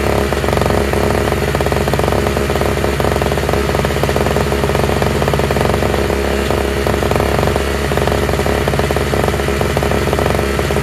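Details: Toro/Craftsman single-stage two-stroke snowblower with electric start, running on fresh mixed gas after priming; loud steady buzz at constant speed with no surging, sputtering or misfires; all it needed was gas.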